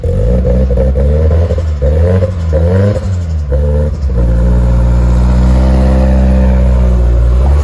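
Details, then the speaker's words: Nissan S14 being brought back, running after 1.75 gallons of 93 fuel: a loping idle swinging up and down, with sharp pops between throttle blips. It is rough and untuned and still needs a tune; flames were reportedly seen previously. "Obviously, it still needs to be tuned. You shouldn't really be revving it that much. They said that there was flames, supposedly."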